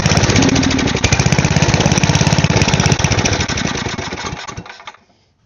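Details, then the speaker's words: Side-shaft small go-kart engine, spark plug ruled out: uneven chugging at about three beats a second that stumbles and dies within five seconds; owner suspects a still-clogged carb passage. "so it might still need something else cleared out in there."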